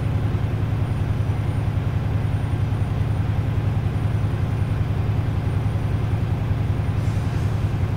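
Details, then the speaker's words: Swift truck air brake check, diesel idling: steady low idle with an even rapid pulse, about 158 beats a minute, as the air compressor cuts out. Cut-out is confirmed at 115 psi, under the 140 limit, a normal result. "so you guys hear that that is actually a compressor cutting out but do not go by that sound give it a few more seconds"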